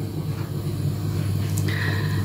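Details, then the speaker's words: Home heating boiler hidden in a cupboard, running while heating the house: faint, constant low drone with no rattles or surges. Normal hum; the owner wishes it had been moved to the pantry. "мы его спрятали в шкафчик Я думала может быть он деть вообще мы вот знаете как не подумали с самого начала А нам надо было его вынести вон туда в кладовку и он бы тут не гудел"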